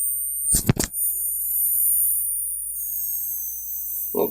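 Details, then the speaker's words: 400 W PC power supply plugged into the mains: a thin, steady, very high whistle after the plug-in clunk. The cause was faulty electrolytic capacitors, and the fix was to replace them. "но при подключении в сеть он пищит сейчас покажу вам этот дефект и будем разбираться"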